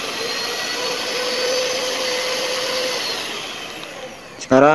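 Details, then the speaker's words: New knockoff Philips hand mixer that had run rough, tested after a glued repair: steady, even motor hum with a clean mid tone and no rattle or shaking like before; it now runs smoothly. "Coba testing tuh. Suaranya itu lembut. Terus enggak gemeteran lagi kayak tadi waktu pertama itu dihidupkan gemeteran."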